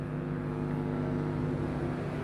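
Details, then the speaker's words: 2x31-band graphic equalizer tested unboxed, without chassis ground: a steady low mains hum with no signal, a ground hum to be fixed by correcting the ground path, otherwise normal. "ini masih normal, artinya nanti bisa dibenahi dengan memperbaiki jalur ground, karena sekarang posisinya kan tanpa ground, tanpa box, masih di luar box, jadi dia tidak memiliki ground casing ya, Mitra Audio."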